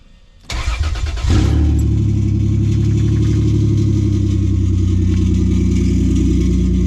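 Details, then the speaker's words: Lexus GS300 after rod-knock repair (new ACL race rod bearings, number three had spun, new starter, plugs, oil and transmission fluid): steady idle, no more knocking, but a faint metallic scrape; owner thinks the flywheel is scraping against the block. "so that noise is coming from the flywheel [Music] no more knocking but it is scraping metal a little bit"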